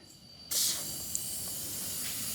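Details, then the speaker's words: Electric unicycle (Oryx) off-road knobby tubeless tire, first flat after about 1,200 miles, thorn pulled after spinning sealant inside: sudden steady high hiss of air escaping through the puncture, possibly sealing. "I can hear it still. think it's sealed."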